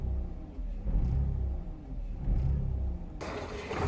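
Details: 2000 VW Polo 1.0 idling: lumpy, uneven idle with low stumbling beat under chuffing exhaust, engine visibly rocking; misfire, cause unknown to owner.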